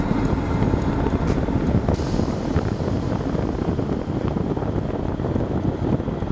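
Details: Propane heater modified with a dimmer on the fan and a regulator on the propane, running at reduced fan speed and low gas: low, steady flame roar and slowed fan with no surges or sputters, piezo clicking audible; normal running.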